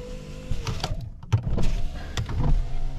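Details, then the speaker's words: 2001 Lexus IS300: a short motor whir, then soft irregular thumps as the rear passenger window glass travels and stops, with no grinding or straining; slow at first from long disuse. Normal power window operation. "passenger window works rear passenger works I can hear the oh there we go just hasn't been done in a long time so our rear passenger works as well"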